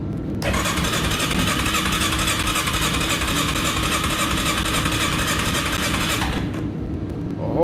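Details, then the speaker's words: Yamaha Kodiak 450 ATV with choke on, fuel on reserve and primed: steady starter churn for about six seconds and the engine never fires; cranks but won't start after sitting a couple months, cause unknown. "hell of a lot of nothing that's what happens now when i left this a couple months ago while i was working on it she wouldn't fire and she would idle"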